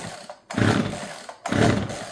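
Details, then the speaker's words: Husqvarna 136 chainsaw that will not start, pulled three times at full choke with fuel believed present: rasping pull-cord strokes with no firing or catch; cause later found to be a clogged fuel hose and fuel filter. "Nu har jag dragit 3 gånger full såg. Den ska gå igång. Om det nu är soppa i den, men det hoppas jag att det är. Så det här är någonting annat."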